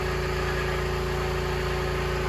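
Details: 2004 Honda CR-V petrol engine idling with a misfire: low, pulsing, slightly uneven beat; leak-down test shows exhaust valves not sealing on cylinders 2 and 4, possibly a broken valve.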